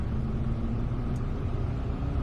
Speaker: you can hear that it increases the speed just over a thousand and now it's measuring the engine oil level